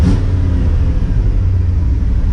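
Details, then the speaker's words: Engine after freeing stuck valves and fitting new pushrods idles with a deep, steady, even rumble with no ticking or misses; fast idle working. "fast idle works everything's working on it look how smooth this thing runs look at that so it goes to show you can free up some sticking valves"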